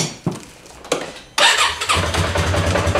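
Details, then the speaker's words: Polaris Sportsman ACE 570 ATV that would not start, now fitted with a new, bigger battery: a short crank, then it catches within about a second and settles to a steady even idle. A clean normal start. "yeah that's better huh much better apparently she got reset"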